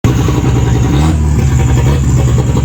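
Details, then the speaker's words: Turboed red-block Volvo 240 wagon: uneven, lumpy idle with a wavering low beat that never settles; rough running from fuel leaking through the fuel pressure regulator and its vacuum line into the throttle body, why it never responded to tuning. "I don't know yet but that car is running off of fuel that is leaking through the fuel pressure regulator through the vacuum line into the throttle body"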